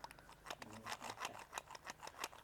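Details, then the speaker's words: Worn BMW E92 M3 S65 throttle actuator, off the car and worked by hand, giving light plastic clicks and rattles; gear slop from worn internal gears, more felt than heard, immobilising the car; the actuator is being replaced with rebuilt units. "quite a bit of gear slop in there, which is something you can feel more than necessarily hear or see. But you know, that's essentially the main core of the issue with these, is those gears wearing out."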